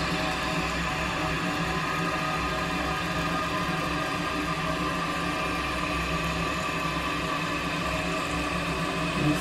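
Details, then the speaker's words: After replacing the fill valve with a Fluidmaster kit on a previously running toilet, a steady rush of water runs through the whole flush and refill, then shuts off with no hiss or trickle. The flush and refill are normal. "everything is working perfectly waiting for that water okay so it got to where it needs to be and it shut off i don't hear any running"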